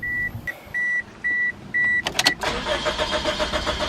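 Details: 2006 Pontiac Vibe after fuel pump replacement, suspected defective fuel feed check valve causing hard starts: door chime, short crank, engine catches promptly and settles into even idle after the fuel line clip was reset; clean start.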